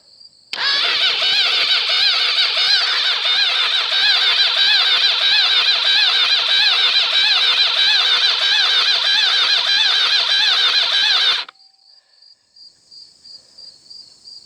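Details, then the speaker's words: Engine cranked cold with replacement starter (old starter's bearing going): slow, uneven, labored cranking, about three heavy pulses a second, no firing; low compression; owner suspects cams, connecting rod bearings or starter clutch, unconfirmed. "okay that don't sound good i'm gonna start the car and do that again"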